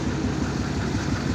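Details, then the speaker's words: Chevy diesel truck (Dirtymax) idling in the driveway, hood up: lumpy, uneven beat with a rough low rumble; blown head gasket pressurizing the cooling system, probably running on only seven cylinders, awaiting a replacement engine. "Got cooling pressure in the cooling from the blowing head gasket. That's what it sounds like when she's running."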